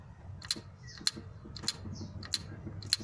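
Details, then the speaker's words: Cleaned EGR valve from a 2001 Opel Astra G Z12XE 1.2 petrol, bench-tested with battery positive on pin 5 and negative on pin 1: five sharp, clean clicks each time it is switched, so the valve is mechanically good. "That's how you know that mechanically it's good."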